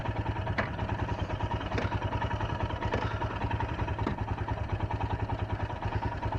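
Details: Royal Enfield Himalayan with stalling issues since its service, after a relay replacement: even single-cylinder thumping idle at about two hundred beats a minute, no misses. A normal idle, though the bike later died when shifted into first with the side stand up.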